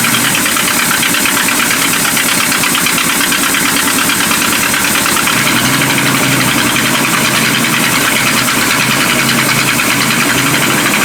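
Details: Abandoned 1976 Winnebago Brave engine running after revival: loud, steady idle with a low, even chug about three beats a second and no sharp knocking; sounds okay.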